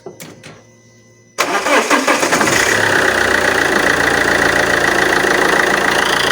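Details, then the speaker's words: Alfa Romeo 159 1.9 Multijet diesel idling: sharp puffing tick in time with firing, louder on acceleration, as exhaust gas escapes through the gasket layers of a warped exhaust manifold with integrated turbo; fix is machining the manifold plus new gasket and studs. "the noise that you hear on the beginning of the video is the gas is passing through the layers of the gasket"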